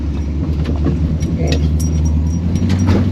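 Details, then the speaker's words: Holden HT with a swapped-in 253 V8 on its first drive, going around a corner. Earlier it was missing and the engine was chattering a bit; now there is a low, even drone with light cabin rattles and no stumble, and it runs fairly well. "It's not missing anymore. It was missing. It's running good. It actually is running fairly good."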